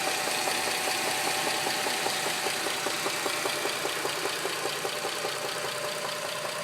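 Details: 2007 Dodge Charger 2.7 V6 at idle after running oil-starved on the interstate: loud sharp metallic knock about two and a half per second; lash adjusters, plugs, valve cover gaskets replaced and engine cleaned without fix; cause unknown.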